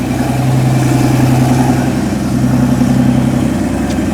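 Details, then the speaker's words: Mercedes S65 AMG M279 V12, first start after a full rebuild of an engine seized from running without oil, oil and fuel pressure checked; smooth, deep, even idle with quick rise and fall in revs, no ticking, knocking or hunting, healthy. "Beautiful! Beautiful, beautiful, beautiful. Just like that. Come on, man. And she sounds sweet and amazing."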